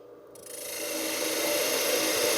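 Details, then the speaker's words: Woodturning a tulip bowl with a bowl gouge on a lathe: rough rapid rasping chatter as the gouge bites; a knot in the wood is suspected. Tool chatter. "I'm getting some some chatter here I probably have a knot or something in this piece"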